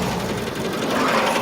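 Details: Subaru Legacy BG5 engine: fast, light mechanical ticking knock over the running engine that comes and goes; appeared while driving; owner says it's definitely not a rod bearing or hydraulic lifter, source unknown.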